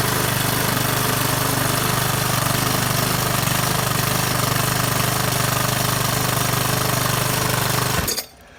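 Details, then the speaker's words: Craftsman 21-inch mower with a Briggs & Stratton 550 series engine, run without a blade and on little gas, possibly overfilled with oil and smoking: a slow, lumpy putter that idles too low and cuts out; the governor is to be checked; low idle. "Okay, well, it's still smoking off. It doesn't seem like it has a very high idle. It doesn't have the blade on it."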